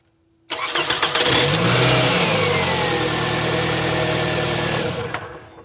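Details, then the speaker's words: Toyota Camry 2.4 L (2002–2006) with a new replacement starter fitted, air intake tube off: brief quick crank, catches at once, steady even idle; normal cranking and start. "Alright, and as you already saw, I turned on the car a few times and it turns on with no problem."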